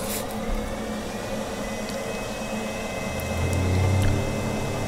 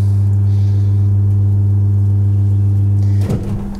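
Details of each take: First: Dzhileks Vodomet 55/35 submersible well pump on cheap HY-2 inverter pressure controller replacing relay: quiet, then low pump hum comes up gently with no bang as faucet opens, RPM tracking faucet opening, stopping smoothly; healthy soft start. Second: Dzhileks Vodomet 55/35 submersible pump on a relay pressure switch: steady low hum cuts off with a sharp bang in the pipes, water hammer at loud start/stop; before fitting a cheap HY-2 inverter pressure controller to prevent it.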